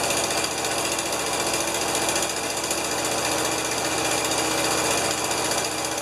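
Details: Rescued, long-stored 1975 Lincoln Continental V8, first start with carburetor bowl topped off by hand, number five cylinder low compression: fast ticking, three or four clicks a second, over a rough run; cause of ticking not confirmed.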